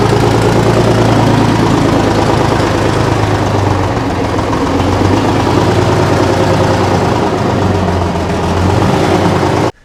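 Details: Off-road 6x6 Kenworth/RFW garbage truck, two-stroke Detroit 6-53 diesel with no muffler, revived after sitting about four years: loud, raw, rapid bark at steady idle, even firing with no knocks or misses; engine runs healthy.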